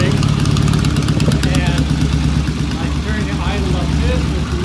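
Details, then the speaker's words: 1974 Norton motorcycle after the ignition timing was set. Even, lumpy low idle at about 800–900 rpm with steady firing pulses and no misses or knocks. Normal idle. "That's about an 800, 900 RPM idle. And looking good."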